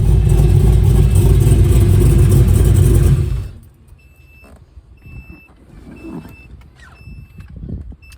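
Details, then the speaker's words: 2001 Pontiac Firebird Trans Am with a newly built LQ4 408ci stroker V8, first start on a hot day; engine shuts off, then the gauge beeps repeatedly because the wideband runs off a low jump box, signalling low supply voltage. "yeah but we still haven't wired in the wideband so it's off the jump box which is low that's why it's still beeping"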